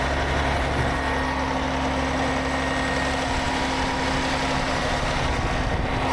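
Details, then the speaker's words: 2009 Newell coach with Caterpillar diesel, after a fuel filter replacement for low fuel pressure codes, during active DPF regeneration: deep, even diesel idle with a steady hum and no misses or knocks; normal idle during regeneration. "So now I'm going to do a regeneration and we're going to see if that solves the problem. Hopefully it does. And you can hear it, it's in active regen now."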